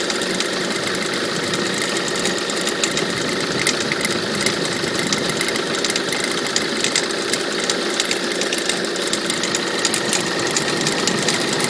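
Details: Peugeot 307 2.0 HDi 90 hp diesel idling: irregular light clicks and knocks about once a second over bright diesel clatter; owner thinks the noise comes from the alternator and asks whether it is the pulley or the idler roller, unconfirmed.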